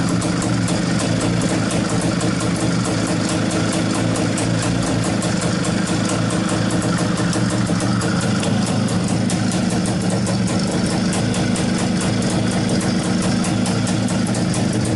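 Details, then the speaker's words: IZh-49 two-stroke motorcycle after treating piston knock with solid lubricant and rechecking ring gaps, first start on petrol only: steady low idle, even popping beat, no knocking or slapping heard; sounds healthy. "пока никаких звуков не слышно вроде все нормально Так ну что сказать Вы сами все видели сами все слышали по-моему никаких посторонних звуков Я не слышал Вроде бы все нормально должно быть"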